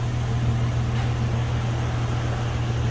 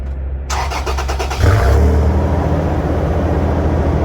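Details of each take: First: 2008 Toyota Tacoma at idle after fitting a new Walker Quiet-Flow stainless muffler: a low, even, soft exhaust hum with no rasp, ticking or leaks; very quiet and healthy. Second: 2008 Toyota Tacoma with a cheap replacement muffler, before Walker Quiet Flow install: cranks, catches and revs with a loud, deep booming drone audible into the cabin.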